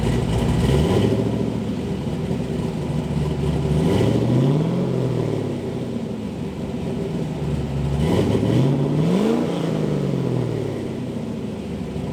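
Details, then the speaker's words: LS V8-swapped Mazda Miata with bigger cam, fully warmed up; steady V8 burble with a few smooth throttle blips rising and falling cleanly; normal revving. "she's all warmed up now so i'm gonna give you guys a taste of a little bit of a"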